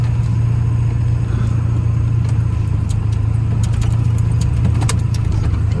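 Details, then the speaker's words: Ford F250 7.3L Powerstroke diesel, stranded roadside, cooling system and oil cooler new 400 miles ago; oil in coolant, coolant in oil, low oil, slight miss at speed; low lumpy uneven idle, owner hopes fuel starvation from low front tank; rough idle. "Still has a little bit funky idle. I don't love that. Yeah, definitely not happy at idle."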